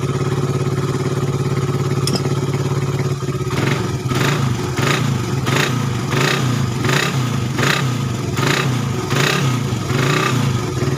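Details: Suzuki Satria FU 150 cc after correcting a cam chain replacement with wrongly set timing (top): single-cylinder idles smoothly then takes repeated quick throttle blips, rising and falling cleanly; previously erratic idle, rough, weak and fuel-thirsty.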